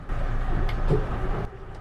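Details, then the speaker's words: Merry Fisher 895 bow thruster at anchor, engines running: low feeble motor hum for about a second and a half then fades, no thrust at all; caused by worn-out thruster battery, later replaced. "And that was pretty sad. If you could just hear it, it didn't really do anything. There's no bow thrusting happening at all."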